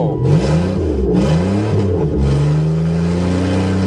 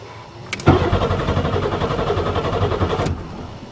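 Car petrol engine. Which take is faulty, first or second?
second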